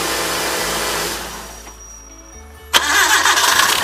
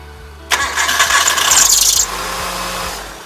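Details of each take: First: 1997 Hyundai Accent after fixing a squeaky belt, mic at the front belt: engine cranks, catches and settles into a steady, even idle with no squeal or chirp; normal idle. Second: 1997 Hyundai Accent at cold start: a loud, harsh squeal covers the engine for about 1.5 seconds, then fades to idle. A loose alternator belt is slipping and could come off.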